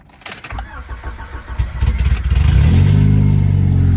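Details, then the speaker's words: Prelude after an EGR delete with a block-off plate and a new full custom exhaust, car still raised in the air: short crank, catches within two seconds and settles into a deep, even idle with no misses. Sounds healthy. "Oh yeah, she sounds so good right now. Cool, we got that delete the new exhaust system. It's still in the air, so it sounds a little bit different than on ground, but here it is."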